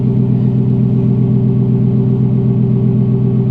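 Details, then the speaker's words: Engine started with the key in a cheap Copart vehicle: steady even low rumble with a regular beat of about 2.5 per second, nothing knocking; smooth healthy idle. "wow well that sounds good yep I told you man that sounds real"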